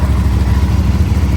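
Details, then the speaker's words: New 2024 CFMOTO NK, first start just after fueling, fired right up: smooth, even low burble at a steady idle with no knocks or misses. Normal idle. "That's awesome. Just put fuel in it, she fired right up."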